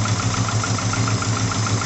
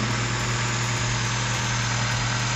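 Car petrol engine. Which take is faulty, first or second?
first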